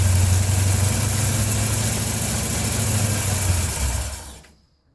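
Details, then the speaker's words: 1980 Ford F100 carbureted V8 sitting 29 years, running on fuel primed into the carburetor bowl: rough, loping idle with a steady low rumble for about four seconds, then dies; engine starts and runs. "I really can't believe it runs."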